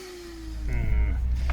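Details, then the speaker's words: Draper 1700 W pressure washer that packed up: motor spins to light hollow Hoover-like whine with no pump load, something loose inside; owner suspects pinion off the motor, drive gears possibly stripped. "It sounds more like a Hoover now. And then there's definitely something loose inside. Maybe the pinions come off the motor."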